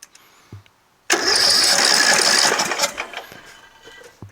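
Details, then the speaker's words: Tractor engine after rebuild (new engine, carburetor, magneto, flywheel, fuel lines): silent cranking, fires about two seconds with sharp rattly run then dies; heavy fuel from exhaust; carburetor suspected (possibly missing jet), valves not yet adjusted. "look how much fuel is coming out of the uh exhaust you know so much out of here too it's terrible doesn't seem like it wants to start ever"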